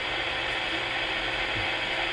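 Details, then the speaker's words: CB radio on AM in central Iowa: steady hissy buzzing static with a faint ratcheting texture; the interference wanders across channels 15 to 20, started 20 minutes earlier, source unknown. "now it's not on 20 but it is on 19. directly on 19. it's really really weird"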